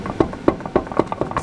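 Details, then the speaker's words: 2005 Chevy Silverado 1500 5.3, right front wheel rocked by hand: sharp metallic clunks about every quarter second from excessive hub play; worn, nearly broken wheel bearing, ball joints good, bearing replaced. "anyhow the wheel bearing is terrible absolutely terrible pretty much completely broken surprisingly a hung on"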